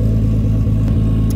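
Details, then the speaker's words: R33 Skyline GTST, previously idling 300 rpm low with AFRs 16+, now after cleaning idle air control valve: steady even low rumble, smooth firing, no misses or hunting; normal idle, warming up. "yeah man she uh she's she's idling normal which is a good sign very good sign"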